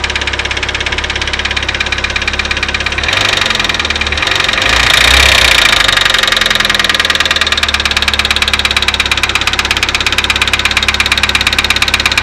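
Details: Daewoo Lanos idling with a light, fairly steady ticking knock, about three per second, over the engine hum. The owner says it is the hydraulic lifters knocking.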